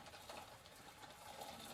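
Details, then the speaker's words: Bicycle chain inside chain case after rebuilding a Shimano CB-110 coaster brake hub, pedals turned: quiet gritty rasping rather than a clean whir; sand or dirt left in the chain case suspected, not confirmed. "And now let's listen if anything is rubbing against the chain case. I don't think so, but it does sound a little bit suspicious. Sounds like there's some sand already on the chain."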